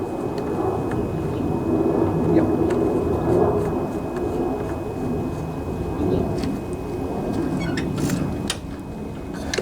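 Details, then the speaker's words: Honda GCV mower engine that smoked and wouldn't start after tipping put oil in air filter and muffler, started on choke: steady even fast-idle drone, no knocks or misses; runs fine, smoke expected to burn off. "so so it runs runs pretty good too"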